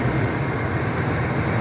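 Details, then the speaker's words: 2001 Ford F-250 5.4L two-valve V8 after replacing a screeching idler pulley (original had 270k miles): idling about five minutes with steady low rumble, no belt screech returning, only injector ticking. "so the engine has idled now for about five minutes and we have not heard that noise come back"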